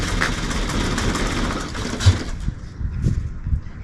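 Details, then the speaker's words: Mk2 Ford Mondeo first start after revival: engine catches, runs rough a couple of seconds, then dies with scattered clicks; owner suspects it only ran on fuel manually pumped into the filter and system, not being supplied by the fuel pump. "it doesn't work I think what I was seeing there was the fuel I pumped into the fuel system running it there it doesn't work it works when you've manually powered the fuel pump and there's enough fuel in the filter in the system to keep on sucking through and keep on going"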